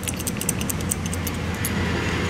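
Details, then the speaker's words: Honda AC compressor relay (part 0746 A11E) shaken by hand gives quick light rattling ticks of a loose internal ball or contact; faulty relay causing AC to blow cold then hot, compressor not engaging. "hear that you can hear something rattling around in there like a little ball or a little contact that's come loose"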